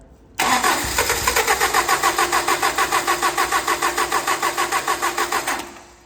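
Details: Toyota 22RE after bleeding air from the fuel system: starter cranks at a steady three-and-a-half beats a second for five seconds, doesn't catch; cranks, no start, cause unclear.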